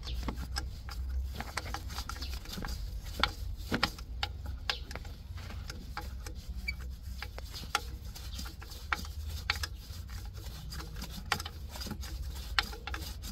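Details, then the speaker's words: Toyota MMT (Aisin semi-automatic) gearbox with P0810, actuator turned slowly by hand with screwdriver, motor removed: scratchy, uneven clicking catching in steps, not smooth; clutch release bearing sleeve binding inside the clutch, causing repeat clutch actuator failures. "look this is the sound the sound like the Beering is little little stuck and I feeling like it moving not smooth it moving like step step"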